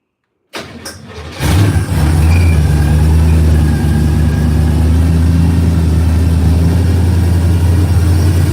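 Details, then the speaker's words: V8 started after long storage on 100-octane race gas: short crank, then a deep, loud, steady idle rumble with no misses or knocks; normal cold start. "She said, every time you crank that car, it rattles the windows in the house."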